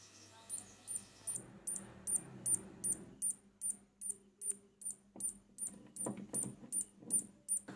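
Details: LG CRT TV with AC line in series bulb, steady high-pitched tik-tik ticking about 2.5 per second as power supply cycles; 110 V DC supply missing from horizontal output overload, shorted deflection yoke coil.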